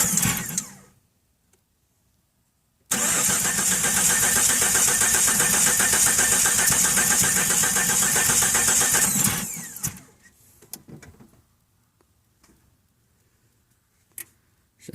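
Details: 1997 Jeep Cherokee XJ with new plugs, plug wires, distributor, cap, rotor, Mopar crankshaft position sensor and coil, and good spark and fuel pressure: steady starter cranking for about six seconds that never catches. It cranks but will not start, cause unknown.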